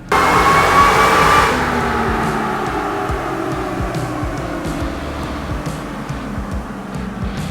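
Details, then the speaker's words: Toyota Tacoma 4.0L V6 with Magnuson supercharger, short wide-open-throttle pull while tuning with HP Tuners, air-fuel about 11.6–11.7 vs 11.4 commanded: thin whine climbs over the engine roar then fades; healthy supercharger. "sounds good we got a nice little wine to it just doing a little short pull make sure everything's looking good"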